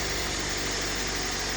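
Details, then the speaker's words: Toyota 1NZ engine with hydraulic lifters, after overhaul, 5W-30 synthetic, restarted after about 1–1.5 hours parked while still warm: rapid even valve-train ticking over idle at start-up; cause unknown. "вот такое лютое дизеление после простоя ездил недавно машина стоит часа час наверное Может полтора двигатель ещё не остыл и вот при запуске гремят клапана"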